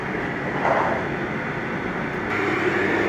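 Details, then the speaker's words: Oil-fired boiler burner after an annual cleaning and tune-up, run for 15–20 minutes: a steady even roar with a faint crackle and no surging, which is normal burner operation. "now when this starts working you'll actually hear it crackling in there and you might get like a little sulfur smell that means everything's starting to burn up"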